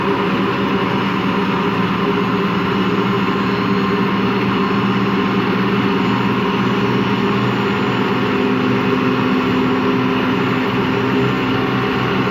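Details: Washing machine run empty on rinse and spin: steady loud low drone with rough growl, pitch never rising; drum not loose, owner suspects worn motor or drum bearings, spin not reaching full speed at the end.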